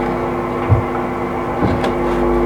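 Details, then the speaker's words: Original Electro-Harmonix Big Muff guitar pedal on the bench: engaging the effect brings a steady low hum with faint, horrendous hiss; hum varies with orientation, likely stray pickup from nearby lights, while the hiss itself is the pedal's problem. "and then when we kick the thing in first of all we get a load of hum and hiss pretty hideous"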